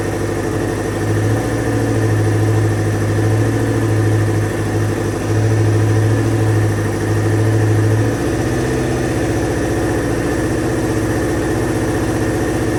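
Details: 2000 Kawasaki Ninja ZX-7R 750 with no tank fitted, just revived from no-crank/no-start, warming up: loud, steady low idle with an even throb that settles slightly after eight seconds, running cleanly. Normal idle; owner thinks the carbs need cleaning and notes a small leak.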